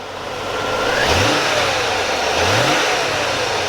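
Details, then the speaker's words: 1996 Chevrolet Corvette C4 coupe V8, about 64K miles, idling: two quick throttle blips rise cleanly and settle to smooth idle with no knocks or rattles; normal healthy revving. "sounds really nice there you go"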